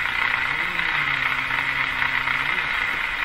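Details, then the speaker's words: Canadian Westinghouse Model 684 radio during AM alignment, test coil near the first IF transformer at 450: low moaning tone sliding up and down in pitch over steady hiss; radio oscillation moaning. "Ooh, what was that sound? Radio's moaning at this point."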